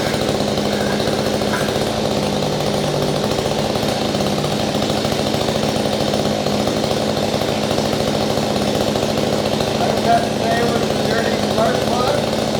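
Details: Small two-stroke engine on a no-start repair, running with cleaned spark plug and air filter off: high, buzzy drone holds steady and even throughout, no misses or surging; runs fine.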